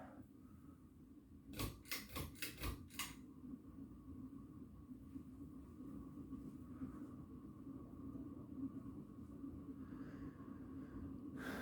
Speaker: can hear the bearings are starting to get really loud now it's starting to wobble a bit now